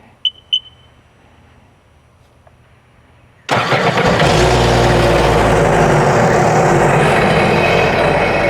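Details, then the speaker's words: 2019 Sea-Doo jet ski engine reinstalled after water-flooded wreck and hull repair, running on flush water; starts at once, steady even idle, water exiting through exhaust and jet, no misfire or knock, still warming up to purge air; normal running. "all right we got the water on you can see how it's coming out to exhaust that's what you want that means it's going through the exhaust system and coming out the jet propeller engine sounds great"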